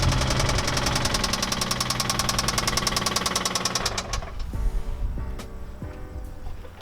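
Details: Infiniti G35 engine running with music in the background; rapid steady hard knocking, deep rhythmic pounding of a rod knock before the rebuild.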